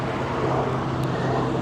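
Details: Petrol car at auto auction with a broken intake hose after the mass air flow sensor patched with a bag: steady, even low hum, no knocks, misses or hunting; normal idle.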